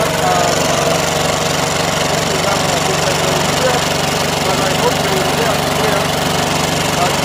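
Small single-cylinder engine running at a fast, even, steady pace with no misses or knocks. Sounds healthy.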